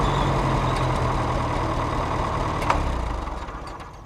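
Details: Farmall Cub tractor started after repairing the broken exhaust pipe snapped off in the manifold: even steady thumping beat tailing off quieter; runs clean with no exhaust leak chuff.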